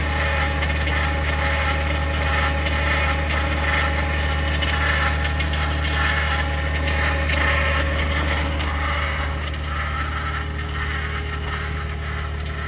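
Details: 2021 Ford F150 PowerBoost remote cold start at -16°C: steady gritty grinding whir over constant low hum, unchanged through clip, after a click; occurs only below about -11°C; owner thinks something pumps, origin unclear.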